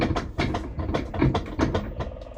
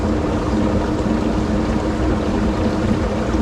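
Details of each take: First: 9-year-old LG WT5480CW washer rerun in test mode: thumps and swishes a few times a second as the agitator reverses, with no grinding or slipping; agitation now normal. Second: 9-year-old LG WT5480CW washer in test mode (drain plus agitate): steady wash-and-rumble with a constant motor hum and no back-and-forth rhythm, as the drum spins instead of agitating, seemingly straining the motor and suspension with the frame creaking.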